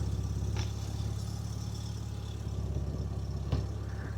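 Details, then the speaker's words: Mk2 VW Golf GTI engine run to get the brake servo working during a brake caliper leak check: steady, even four-cylinder idle with a smooth low pulse, no knocks or misses; sounds perfect, normal idle. "let getting the engine running to get the servo working so we get maximum brake pressure as you can hear it sounds perfect"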